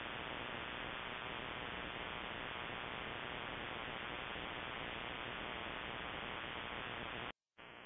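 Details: Shortwave ham radio receiver: steady hissing buzz across whole band, briefly cutting out; broadband RFI persisting with house main breaker off, timed (off 7:31 pm nightly), grow light or powerline suspected, source unknown.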